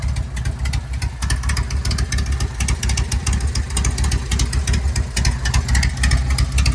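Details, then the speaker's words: Home-built Harley Sportster chopper, cold idle on choke: a deep, lumpy V-twin idle with an even beat and no ticking or clatter. The owner reports it idles fine with only the normal breather-bolt noise, and the breather hose spits a little oil. "I already ran the bike and it idle's fine and everything. No weird noises."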